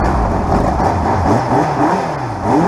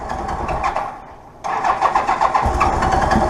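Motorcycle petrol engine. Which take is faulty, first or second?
second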